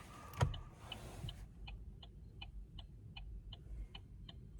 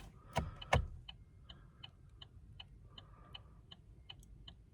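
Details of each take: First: Chevy Cruze: faint turn-signal indicator ticks spaced unevenly while the lamp blinks normally; irregular clicking, cause unknown, owner wonders about the battery. A separate rattle appears while driving but not at idle. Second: 2014 Chevy Cruze, inside the quiet cabin: turn signal clicks steady and evenly spaced, about three a second. Earlier the indicator clicked unevenly and out of sync with the flashers, and the owner wonders about the battery; normal clicking here.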